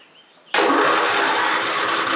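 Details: Free flood-damaged 8000 W generator converted to natural gas, choked and jump-started from truck: engine catches at once and runs strong and steady, no misses or knocks; engine good though generator gives no power.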